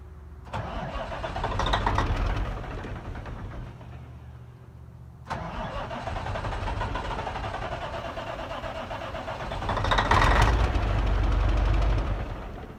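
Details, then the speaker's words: Kenworth K100 cabover with Caterpillar 3406 diesel: starter cranks, engine catches briefly and dies, cranks again and fires on starting fluid (ether) only; fuel system not working. "Anyways, there you have it. Anything will run on ether."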